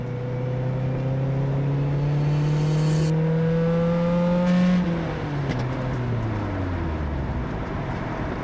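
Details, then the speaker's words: 2014 Mazda Miata NC on track at Gingerman Raceway, pulling onto track: harsh, overly loud exhaust as engine revs and shifts up, plus noises underneath the car; massive exhaust leak. "Immediately, the exhaust sounded incredibly loud. Massive leak. It It was It was insanely loud."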